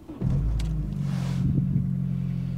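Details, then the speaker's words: VW Polo 6N2 bought at auction with no MOT, engine management light on, EPC and service lights on, about 3/4 tank, first start: it catches into a deep, even rumble with a raspy, breathy edge. Good compression; the exhaust seems to be blowing, possibly why the engine light is on. "engine has started good compression sounds fine however it does sound like the exhaust is blowing so could explain why the engine management light is on but other than that sounding pretty good"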